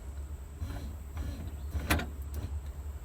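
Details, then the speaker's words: 1950 Chevy after converting the vacuum windshield wiper motor to an electric kit, bumped briefly on low: a low steady electric hum with faint sweeping strokes. The wipers run full stroke without binding; the arms still need adjusting off the body. "so now it's not binding up and we're running at low speed full stroke"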